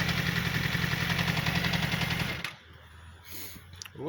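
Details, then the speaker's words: Yamaha R6 motorcycle at idle: fast, even loud metallic clatter from the clutch basket, which rattles like a toy when shaken, felt as knocks through the hands; clutch basket rattle at idle. "то есть сцепление стучит уже настолько громко что не ощущается через скрип он и удар по рукам"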